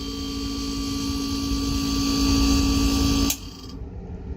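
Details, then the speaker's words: Refrigerator (not cooling, lukewarm inside) compressor: steady hum about three seconds, then sharp click and motor cuts out; failed compressor start relay not letting it stay on, short-cycling, fixed by replacing the start relay. "i knew there was something wrong with the the compressor and it's that starter relay wasn't allowing it to stay on"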